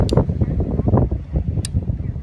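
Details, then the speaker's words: Modified Subaru wiring harness on a bench, powered by a cordless tool battery: two crisp clicks about 1.5 s apart over a low hum as the fuel pump relay cycles on and off, test light confirming; normal operation. "let's go back over here take a look at our test light yep cycling on and off so that the fuel pump cycling on and off"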